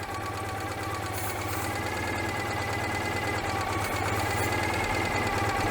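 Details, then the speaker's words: 1986 Citroën 2CV twin during a service, plugs showing white: uneven idle whose note shifts and rises when sprayed at the carburettor/manifold gasket, confirming an air leak there. "yeah carburetor it's a manifold gasket that's where i'm squirting that you can hear the engine changing and it starts burning that that shouldn't be getting in the engine"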